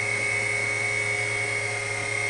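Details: WWII RT-7/APN-1 radar altimeter running in lab, switched back to low range before shutdown: steady high-pitched dynamotor whine at one pitch over constant motor hum, no wavering or rubbing. Normal dynamotor whine.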